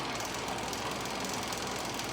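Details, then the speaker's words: Sawmill carriage leadscrew driven by a small car-window gear motor on 3D-printed PLA+ brackets, at speed setting 74: even gear-motor whir with a light regular rattle; a slow but consistent, smooth normal run. "and most importantly it's moving it consistently so a nice consistent smooth run it's a little slow but that's okay"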